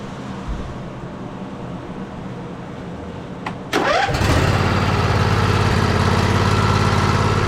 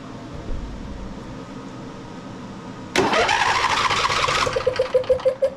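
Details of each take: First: John Deere L111 automatic riding mower, Briggs & Stratton 20 hp V-twin, over 1,200 hours, hard-to-crank complaint, just after valve adjustment to .004 clearance: cranks briefly, catches at once, steady even idle without knocks or misses; normal idle. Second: John Deere L111 mower, Briggs & Stratton 20 hp V-twin, over 1,200 hours, before valve adjustment: key held long, starter grinds, engine catches in ragged puffs; hard start, compression release suspected inactive from loose valve clearance.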